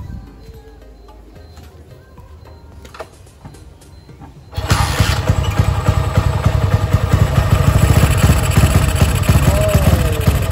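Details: Motorcycle with intermittent stumbling (brebet) while riding, sometimes changing when the headlight is switched, started after fitting a new Bosch battery (12.3 V): idle with uneven, stumbling beats and occasional dropouts. Owner suspects the battery; cause unconfirmed, misfire persists.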